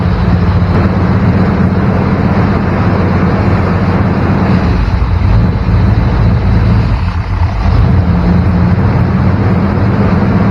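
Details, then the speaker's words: 1994 Chevrolet K1500 Blazer with high idle near 1500 rpm after a cracked hose was patched: steady, slightly fast idle with an even low drone, no misses; leak not in one place, suspected throttle body base gasket. "doesn't seem to be in any one particular place so i'm thinking it's the gasket that goes under the throttle body"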